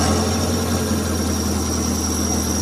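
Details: Futura/T120SS petrol engine that stalled at low idle: low, even idle hum with no stumbles after restricting the carburettor air intake with an aluminium plate; still dies if idle is set very low, ignition pulser gap suspected too wide.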